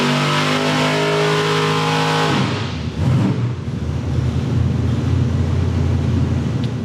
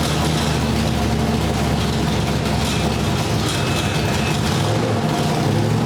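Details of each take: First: Brother's Ford engine on dyno, full pull aimed at a clean run through the RPM range; engine screams to high revs then note breaks up ragged and uneven near the top; high-rpm miss, possibly valve float or a leftover dyno RPM limiter setting. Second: Ford V8 with a Sniper EFI system, static timing just set. A deep, even, lumpy rumble with no knocks, ticks or misses; still being tuned to hold idle. Normal running.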